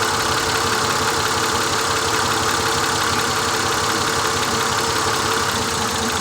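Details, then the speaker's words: 2000 Honda Accord V6 with flashing check engine light, spark plugs already changed: uneven, loping idle with an irregular stumble roughly every third of a second; coil unplug test shows cylinder three dead. "so the only one that's not contributing is cylinder number three"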